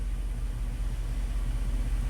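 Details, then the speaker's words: Rusty 2002 Dodge Dakota V8, 104,000 miles, one-trip P0300 code, harsh intermittent shifts, after minimum TPS relearn: low, even rumble settling at about 600 rpm with no hunting or dips; normal smooth idle. "a v8 you know hey can I let low real smooth I like it"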